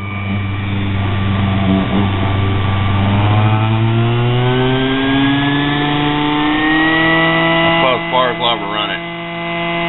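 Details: Homemade mini grinder built from a sewing machine motor with a drill arbor: a smooth motor whine climbs steadily in pitch as it spins up, with no wobble or thumping; the arbor is running balanced.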